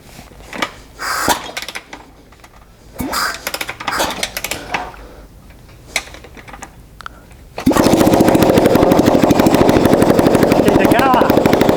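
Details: 2012 Kawasaki KX450 engine in a street-bike build, running without exhaust: several kick-start attempts with clunks, then it catches about eight seconds in to a loud, raw open-pipe bark running steadily; normal.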